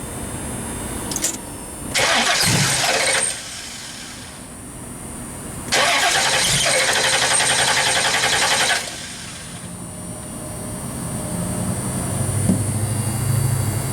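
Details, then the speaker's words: 1970 Pontiac LeMans with 455 engine, after a failed leaking fuel pump was replaced: two long bursts of steady, rapid cranking that never catch; possibly flooded, and the new pump hasn't got fuel up to the carb yet. "now the question is why won't it start did you just flood it and that's the only problem we got right now"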